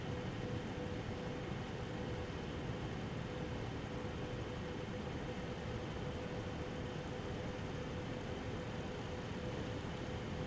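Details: MSI Radeon HD 7970 Twin Frozr III after replacing both fans with PLD08010S12HH units, running a Time Spy benchmark: even, quiet airflow hiss with a faint steady tone, coil whine about the same as before, no rattle or scrape.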